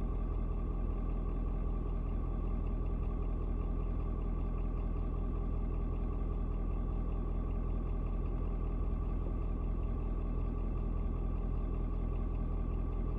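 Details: Ford Super Duty 6.7 diesel (Platinum) cold start at 56 degrees: deep, steady, even clatter at a settled idle after a slight rpm drop (owner unsure if block heater switching off); normal idle.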